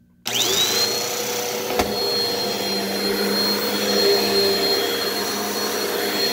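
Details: Repaired upright vacuum with short cord: steady high whine settling at one even pitch after start-up, no rattles or surging; motor runs healthy.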